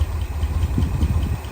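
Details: International Harvester Loadstar crew cab V8 truck, parked 30 years, first revival run after topping off coolant: low throbbing idle, slightly uneven beat, no knocks, small engine shake; possible blow-by from manifold or valve cover, occasional unidentified doinking noise. Normal idle.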